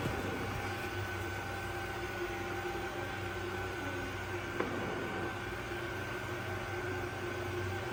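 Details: Old Ecovacs Deebot robot vacuum after new battery, filter and brushes: soft steady motor whir with faint fan hum and one small tick, no grinding or rattle where a noise usually started; normal running.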